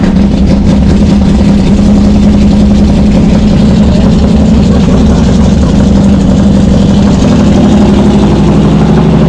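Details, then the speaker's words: Cold V8 with a recently fitted Brawler 650 CFM double-pumper carb (mechanical secondaries; timing 16° initial, 36° total), idle mixture just turned 1/4 clockwise: steady, loud, slightly high idle with a lumpy low burble, running rich, likely still burning off fuel after flooding. "but I don't know, it just seems high. And last time I tried to start it, I flooded it, so I'm sure it's still burning off all that old gas. And she's cold."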